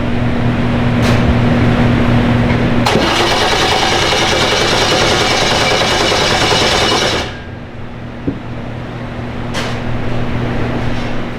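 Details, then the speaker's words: Twin-turbo C5 Corvette build on Haltech, trigger set for a 58-tooth reluctor and 4-tooth cam gear, learn still needed: steady hum, then a few seconds of rhythmic starter churning that never fires; no RPM signal seen; cranks but no start, cause unconfirmed. "Yeah, I'm not seeing RPM at all."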